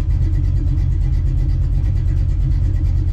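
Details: Small-block Ford 306, GT40P heads, Anderson N41 cam, Holley double pumper: lumpy, loping big-cam idle settling steady after mixture screws turned back in, AFR returning to about 12.2–12.3; normal idle.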